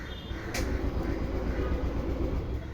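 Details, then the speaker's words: TVS Jupiter BS6 scooter with a starting and stalling problem: a steady, low starter churn for seconds with no catch. It cranks but won't start; with a different spark plug it started but wouldn't hold a slow idle. "ഇതാണ് പ്രശ്നം start ആവുന്നില്ല എന്ന് പറഞ്ഞു"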